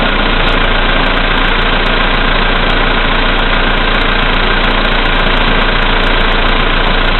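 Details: VW Polo Sedan, CFNA engine, 2222 km, cold start at -5°C after overnight; oil three marks below max, Lukoil 98 fuel. Dull knock, three to four per second, at cold idle; it grows louder as lights and heated glass add electrical load.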